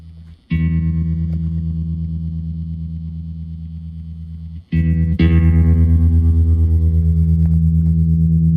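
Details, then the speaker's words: 1974 Fender Super Six Reverb (100 W, six 10-inch speakers), tremolo with two 0.01 capacitors at its fastest setting: smooth, even volume pulsing of guitar chords; normal tremolo. "it still gets pretty fast now I'll slow it down to like mid the middle here can go that's nice and then yeah down in this one and two range oh that's real nice"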